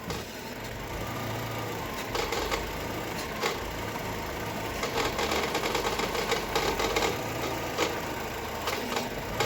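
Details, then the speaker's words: Chevrolet Cobalt 1.5 B15D2 idling: loose irregular metallic crackle and rattle from a failed, dirt-clogged belt tensioner pulley assembly after oil leaked onto it; fixed by replacing belts and two pulleys. "Ну, короче, слышали, да? Такой треск стоит, вообще невозможно."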